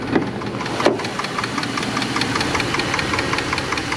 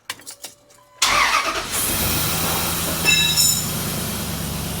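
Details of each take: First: Dodge 4.7L V8, about 200,600 miles, after third repair attempt with new lifter: quick steady light ticking at warm idle after 15-mile drive, stethoscope places it at valve cover; suspected lifter/valve train tick, not confirmed. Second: 4.7L Dodge V8 after replacing a sloppy new lifter (third repair attempt for persistent tick): starter catches, engine settles into steady, even idle with no ticking; tick gone.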